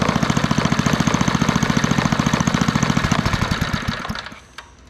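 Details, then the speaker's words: 1964 Wards Power Kraft 110 V, 1250 W generator with a small Briggs & Stratton engine (about 3 hp): the single cylinder fires with an even, crisp beat after a carburetor adjustment, then winds down and stops; it runs properly, with no idle circuit needed. "There we go. Just needed a little bit of adjustment, because otherwise the generator will never idle, so you don't have to really worry about that circuit on these ones."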